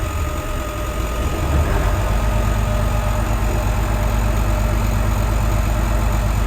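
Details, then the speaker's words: Old bus diesel (Merlin MB375 or Atlantean) idling to recharge batteries: steady even low chug with no knocks or misses; healthy idle. "got to love old diesels though they're pretty simple I'll just let it run for a little bit just to put some charge back into the batteries"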